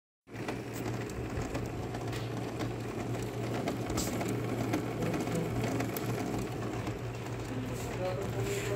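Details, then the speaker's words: Canon G3070 printer not taking in paper: steady low mechanical hum with a fast, uneven rattle cycling repeatedly as the feed roller keeps running but never grabs the paper, so nothing prints. "भाई मैंने इसमें print दे रखा है लेकिन print निकल नहीं रहा देखो इसमें कैसी आवाज आ रही रही है बारबार इसका रोला चल रहा है पूरा लेकिन प्रिंट नहीं दे रहा"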